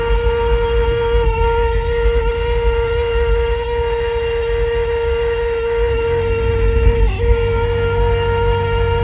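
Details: Kia Sorento centre speaker giving a loud, steady mid-pitched tone with overtones over road rumble while driving. It persists with the radio off, comes on randomly for about a minute, clears after an engine restart and recurs weeks later; cause unknown.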